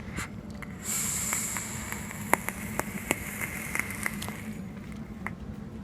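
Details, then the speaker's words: Scattered sharp snaps and crackles over a low sizzle as a vape coil fires on a mod with a nearly dead battery: spit-back popping. The owner suspects the cotton or the build; the cause is not confirmed. "like this I can still get spit back pops and snaps listen"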